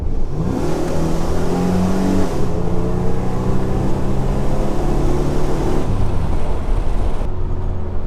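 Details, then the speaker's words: 1997 Chevrolet Camaro 3800 Series II V6 with new Walker Sound FX 18235 muffler, in car with window down under hard acceleration: deep smooth rising exhaust note, slightly louder than stock, no rattles or leaks. "That sounds pretty good, actually. Um, let's hear it from the outside now."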